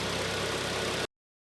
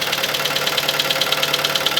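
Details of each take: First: Kia Sportage 2.0 G4KD, automatic, front-wheel drive, nearly 250,000 km: first start after repairing a severe piston knock, cold with the climate control off. A smooth, even idle with no knocking or ticking; the engine sounds healthy. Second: Kia Sportage 2.0 G4KD, about 250,000 km, front-wheel drive, automatic: a sharp, light, even metallic tapping at nearly two per second over the idle, like a small hammer under the hood. Piston slap.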